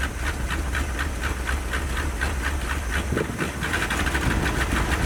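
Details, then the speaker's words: 1977 Dodge D150 Adventurer 360 V8, first start after sitting 12 years, plugs soaked in PB Blaster: uneven lumpy idle, pulsing chuff, steady hiss, stumbling beat while clearing smoke; owner suspects chewed plug wires dropping cylinders, which later cleared out. "I don't think we're running on very many cylinders. Those plug wires have been chewed up really bad. So I think that's a lot of smoke. I think we might be dropping a couple cylinders here and there."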